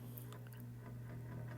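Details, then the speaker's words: Vintage electric fan: a steady low motor hum with a faint irregular ticking underneath; it blows well but makes a little noise, and speeds can't be changed without first switching it off. "it moves. You can hear that it makes a little bit of noise, but it blows very well."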